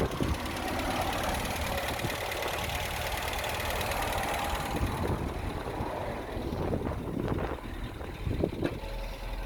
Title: talbot express petrol misfire when cold